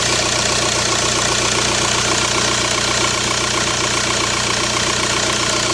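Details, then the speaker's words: 2005 VW New Beetle TDI turbo diesel at idle: harsh steady serpentine belt screech on startup that eases once the belt warms and is worsening; new belt didn't fix it; caused by a bent-shaft replacement alternator and weak original tensioner pulley, both replaced. "it is just being a little noisy upon startup you just hear it screeching and until obviously the belt gets kind of hot or warm"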